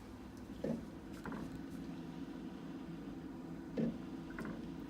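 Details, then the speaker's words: Samsung refrigerator freezer with a non-working ice maker: steady fan hum with irregular hollow knocks every second or so. The noise stops when the door opens; the evaporator fan blade strikes built-up ice in the freezer. "all right so my refrigerator my freezer I should say is making this knocking noise"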